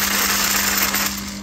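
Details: Lotus Elise fuel pump bench-tested on direct power while diagnosing a no-start: steady low electric hum with a fine buzzy whir, no stutter or grinding; this pump runs fine.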